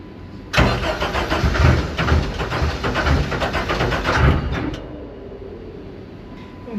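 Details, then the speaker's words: Rebuilt Clemson Deep Orange 9 engine, first start attempt after rebuild: about four seconds of rhythmic starter churning that never catches; cranks but won't fire. "raw uncut footage of 6 hours of us trying to start the car"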